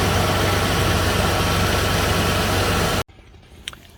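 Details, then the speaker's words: Serpentine belt replaced five months earlier, after belt dressing sprayed on from below: smooth, steady idle with no squeal or grinding; the earlier squeak was likely from a dried-out or dirty belt, and the belt drive now sounds healthy. "Okay, so seems like the belt squeak or the grinding noise from the belt is gone by simply putting the belt dressing over here."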